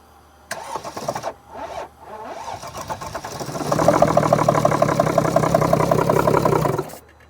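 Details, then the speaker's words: 2014 Mercedes GL350, 3.0 L diesel, crank-no-start, sometimes dies after two or three minutes; starting fluid sprayed, battery on charger: steady cranking about three turns a second, nearly starts but doesn't keep running; fuel delivery not believed to be the cause. "Now, I don't think we have a fuel delivery problem because when you first started, I mean, when you first started it, I sprayed some starting fluid here. If the issue was fuel delivery, the engine would have kept running."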